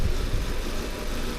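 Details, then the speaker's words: Volvo S40 petrol engine idling roughly, coughing and sputtering misfire with lumpy pulses; fault codes for air mass meter and lambda sensor, suspected faulty MAF and intake air leak. "Давай заведу и посмотрим как мотор работает о о чихает кашли пукает и всё это одновременно"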